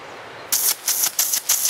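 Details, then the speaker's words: Yard irrigation system, one-inch poly pipe at 120 psi static, drain valve flicked open and shut: hissy surges snapping about three times a second, slamming and reverberating through the line; water hammer. "that's water hammer that's the rushing of the water and now it's reverberating see how long it takes for it to settle"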